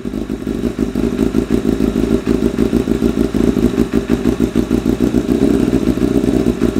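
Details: 1988 Kawasaki ZXR250 road bike, first start of rebuild: uneven, stumbling idle with irregular popping and clatter, beat hunting and never settling; running ridiculously rich, idle mixture found 3.5 turns out, flames from exhaust.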